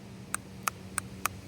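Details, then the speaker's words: SC400 transmission shift solenoid bench-tested with a battery, grounded to the body: five crisp clicks, softer and weaker than the other working solenoid; owner suspects it is gummed up with old ATF, will try cleaning. "you can kind of hear it's uh it's not as loud. It does click. It's clicky, but it doesn't sound as strong."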